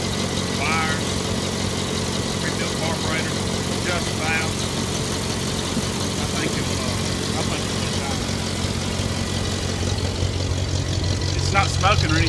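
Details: Later-model IH Farmall Cub tractor before tune-up, choke linkage disconnected, jump-started after a dead battery: idle stumbling and hunting instead of settling; runs real bad from a worn carburetor needing adjustment.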